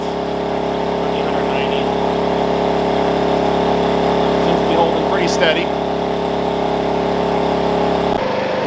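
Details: Wen 56203i 2000 W inverter generator (built 7/2020) at about 1375 W, recorded right next to it: a steady, even hum with no hunting or surging under heavy load; it holds speed and runs healthy.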